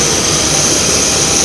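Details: A 1993 Mercury Cougar with a no-heat complaint, running at the engine bay: a loud, steady, high airy hiss over the running engine from a massive vacuum leak; a water pump replacement is also planned.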